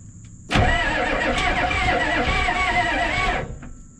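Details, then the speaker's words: 1988 Ford rollback diesel truck, sat about 10 years: starter spins engine steadily about three seconds with no catch, then stops; oil pressure present, fuel delivery uncertain; cranks but won't start. "I don't know where to put this to get the glow plugs to click on or nothing. getting oil pressure now. I don't know if we're getting fuel."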